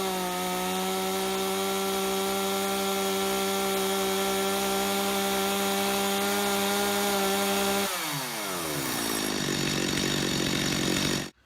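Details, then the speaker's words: Chainsaw, high-speed screw at factory 1.5 turns out, max rated 12,500 rpm, tachometer reading about 1,000 rpm lower; steady clean wide-open scream without wavering, then drops to idle: normal full-throttle running. "It was about 1,000 RPM lower than it can be. I'm going to tell you right now, 1,000 RPM lower is way better than having 1,000 RPM too fast on your chainsaw."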